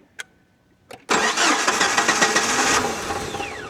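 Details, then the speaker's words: 1998 Jeep TJ Wrangler started on a jump box with battery disconnected: quiet clicks, then engine catches and runs roughly with uneven surging; this Jeep needs its battery connected to run right. "It don't run right with the battery disconnected cuz it needs the battery connected all the time. That is just a problem with this particular Jeep."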